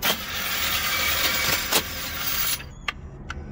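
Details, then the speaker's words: Scion FR-S 2.0 that won't start: high free-spinning starter whir with no cranking rhythm, then clicks; the starter spins but doesn't turn the flywheel, so the starter engagement or ring gear is stripped. "marcha está barrida, muchachos. Esa marcha ya no sirve. Dale de nuevo. Sí, ya no sirve la marcha. Miren, ni siquiera gira el flat wheel."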